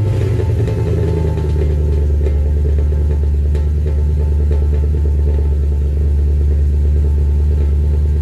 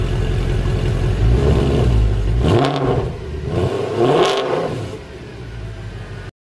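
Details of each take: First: W204 Mercedes C63 AMG V8 cold start at idle with full aftermarket exhaust (long tube headers, sports cats, new mid and rear silencers) as supplied by the shop: deep, heavy rumble with droning low boom and little crispness; exhaust drone before modification. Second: Mercedes W204 C63 AMG V8 with a new full exhaust (long-tube headers, sport cats, new mid and rear silencers), modified configuration: much louder, deep even rumble with two clean throttle blips, no drone, rattle or buzz; normal healthy exhaust note.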